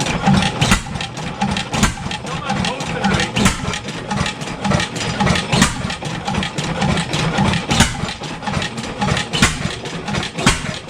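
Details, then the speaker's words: 7HP Stickney stationary engine, revived after decades of sitting, running without a muffler: slow heavy irregular firing that labours and never builds speed; owner suspects an air leak, then finds the hot/cold choke setting wrong, after which it picks up. "yeah it's not picking up like it fire still I can't can't feather it back"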